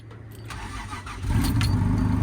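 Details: Engine on a newly fitted battery: brief crank, fires within about a second and settles into a steady idle with no stumbling. Normal start.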